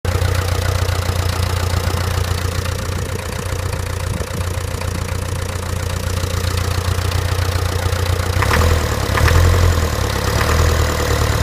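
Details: Land Rover Series 3 diesel idling with deep rumble and sharp, fairly steady knock about three to four per second, despite new fuel pump, filter and injector pipes; cause unknown.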